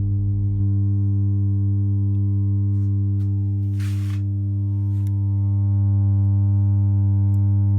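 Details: 1967 Elka Panther 100 germanium transistor organ, first power-up, no sound from keys: loud steady buzzy low hum, no notes; big power-amplifier filter capacitors suspected, one heard bubbling/leaking electrolyte – loud mains hum.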